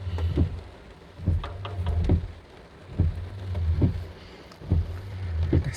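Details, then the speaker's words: Honda Accord windshield wiper after cleaning and restoring the dry, worn rubber blades: even sweep in the rain with soft low swishes, squeaking noise gone. "so it's working perfectly fine quite smooth it's no more noise no more switching noise right now"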